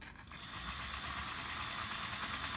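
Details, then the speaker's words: Hornby R879 Mighty Mallard (BR green A4) model locomotive after repair and re-commissioning. A light, steady whir with fine, even gear chatter; the motor and gearing run nicely and sound healthy. Normal running. "and running rather nicely now"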